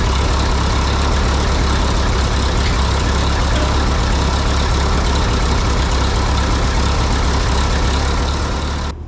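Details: 1952 Harry Ferguson TO20 tractor after a carburetor rebuild: lumpy, uneven idle that keeps skipping, sputtering and down on power; number two cylinder misfiring because its spark plug fouled from the poor-running carb, exhaust manifold cooler at about 120°.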